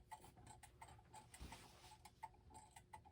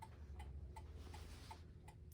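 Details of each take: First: Gothic mantel clock with Urgos movement, c. 1960s, on the workbench: uneven, lopsided tick-tock with unequal gaps that soon falters and stops. Pendulum clock out of beat. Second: Gothic mantel clock with c.1960s Urgos movement, after tilting it to correct an out-of-beat tick; crutch adjustment still to follow: crisp, evenly spaced tick-tock at about 160 beats a minute with no limp; the clock runs in beat.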